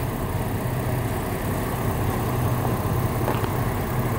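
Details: 2008 Chevy Trailblazer at steady idle: dull, low knock beneath the engine note, located with a stethoscope at the bottom center of the oil pan; spun rod bearing, engine to be replaced.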